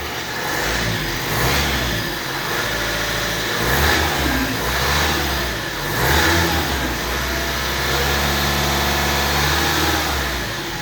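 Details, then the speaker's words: 2016 Vauxhall Astra K 1.6 CDTi diesel revved in short swells, with a dry metallic rattle in its clatter from the timing chain, a common fault on these engines that can persist even with a new chain. "Even when you rev it, there is a rattling."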